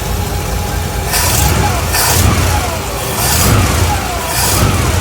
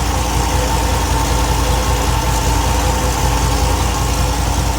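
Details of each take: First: 1964 Buick LeSabre V8 idling with a few throttle blips after a GM one-wire alternator install (the old one had a bad bearing): exhaust leaks plus an unidentified whir rising with revs; owner guesses water pump bearing, air leak, or torque converter/transmission. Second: 1964 Buick LeSabre V8 at idle after carb refresh, first start, warming up (about 142–160, thermostat not yet open); steady deep even idle with only a faint occasional stumble, now smoother after adjustment.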